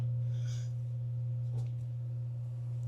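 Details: Homestead well pump in Alaska, just after the stuck pressure-switch contact arm was freed and the switch plugged back in at low pressure. Steady low electric hum with a faint higher tone.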